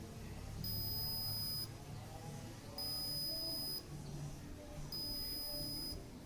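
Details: Arduino drip-irrigation model with a soil humidity sensor in a model plant: three high, steady one-second beeps about two seconds apart as the controller signals soil moisture below ten percent.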